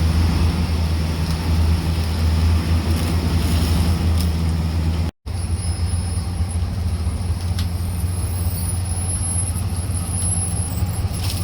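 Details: 1982 Chevy Silverado, first start in years after sitting, automatic four-speed with lock-up torque converter: deep, steady V8 rumble holding an even beat with no misfire or knocking; engine runs healthy after the long layup, normal running.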